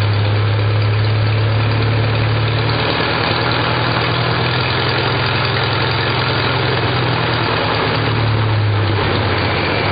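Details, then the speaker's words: Farmall Super A four-cylinder with new Pertronix electronic ignition, timing adjusted and fuel line replaced after fluttering. Runs like a clock at low RPM: slow, even beat, no misses, stumbles or flutter. Normal idle. "and just runs like a clock at low RPM which is really cool"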